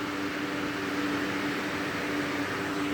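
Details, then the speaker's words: Lasko 3733 box fan: steady whoosh of air with constant low motor hum, no rubbing or rattle; very noisy, must speak over it, fan and bearings running fine. "these things really really get the air moving in a room i will say and this is very noisy and i have to speak over it"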